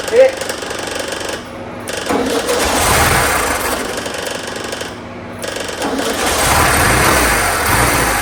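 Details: 1972 VW Super Beetle air-cooled engine: starter churns in steady bursts at about four beats a second, pausing between tries, and never catches. It cranks but won't start; they suspect carburetor fuel delivery and consider an old carburetor.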